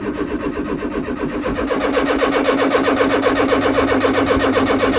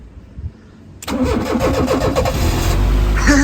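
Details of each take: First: 1995 Fiat Tipo 1.6 SX non-runner with aftermarket Gemini alarm/immobiliser, after rewiring it: steady cranking about four beats a second, no firing, then stops; fuel pump found getting no power, immobiliser thought not at fault. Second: 1995 Fiat Tipo 1.6 SX, non-runner with aftermarket Gemini alarm/immobiliser, after fitting a new crank sensor, in neutral: short starter whirr, catches within a second and settles into steady even idle; starts cleanly.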